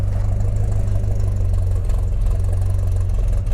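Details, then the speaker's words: Ford XF Falcon ute, 351C V8, switched to petrol with bowl primed after a failed rebuilt fuel pump, timing not yet done: deep, steady, even idle with no misses or knocks; running better on petrol. "I haven't done the timing yet and it's Keys bloody sounds pretty good definitely running better on petrol"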